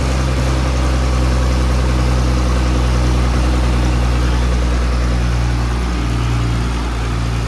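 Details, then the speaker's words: 1959-60 Allis Chalmers D17 Series 1 tractor, sat about 10 years, new fuel pump, just started, possibly low compression: low steady idle with an uneven beat and occasional skipped pulse, missing slightly; hoped to clear up with running. "Missing a little bit. We're gonna run it around, see if it clears up."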